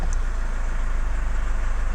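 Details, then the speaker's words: Chevrolet Captiva 2.2 diesel after oil change and all four filters including fuel filter replaced: steady smooth idle, no misses or knocks; idling to purge last air bubbles, self-priming lift pump. "là on va la laisser tourner un petit peu au ralenti au moins ça permettra de chasser les dernières bulles d'air"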